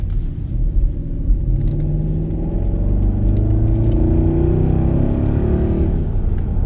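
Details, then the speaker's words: Jaguar XKR (X150) with newly installed exhaust, heard from inside the car under acceleration: deep smooth rumble climbing evenly in pitch, no rasp or knock; healthy exhaust. "Right, so the interior sound with the new exhaust on that you've all been waiting for, so let me show you what that sounds like with a bit of acceleration."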